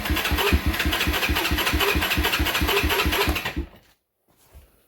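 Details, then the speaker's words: 1993 Honda TRX 300EX ATV, cranked after warming in the shop overnight. Even starter chugs at about three and a half per second for nearly four seconds, then silence; it cranks slowly and never catches. The battery sounds weak. "we are not firing that was no that was not a joke so we'll put the battery tender on it because it sounds like the battery's weak"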